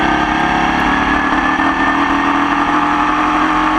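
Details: Formula Vee racing in the wet at Croft: the engine works hard at steady revs with a ragged, uneven beat where firing pulses drop out. A persistent misfire throughout the race.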